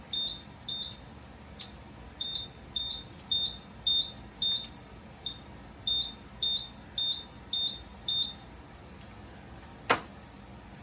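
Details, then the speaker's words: Buzzaround EX 4-wheel mobility scooter throwing fault code 7; switched to freewheel/neutral, controller beeps in repeating groups of five: code 5, out of gear, showing the mainboard responds; throttle later suspected. "So 5 telling us It's out of gear, yeah. it's out of gear, so I mean the controller's responding to that."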